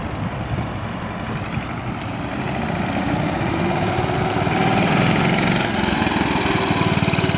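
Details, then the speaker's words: 1965 Cushman two-speed scooter, started cold on choke, ridden in low gear; single-cylinder chuffing a little uneven at first, evening out as revs climb; rough running, seller suspects it needs fresh fuel and warming up. "sounds like she's kind of smoothing out a little bit bike probably needs what I call an Italian tuneup that's some fresh Fuel and just get out there and get it warm"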